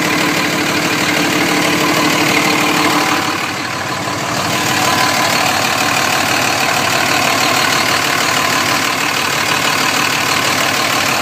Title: cummins weird noise